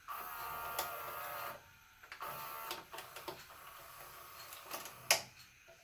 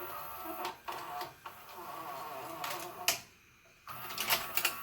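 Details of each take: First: JVC HR-S3500U Super-VHS VCR, bought in 1998 and about 25 years old, after the old grease was cleaned off and fresh grease applied: a short whirr, then soft clicks and light clunks as the tape threads. Quiet, normal tape loading. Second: JVC HR-S3500U Super-VHS VCR, bought in 1998 and about 25 years old, before regreasing: short whirs and clicks with a dry creak on the gear moves as the tape unloads. Owner hopes grease on the loading gears fixes it but can't locate the source. Creaking during unloading.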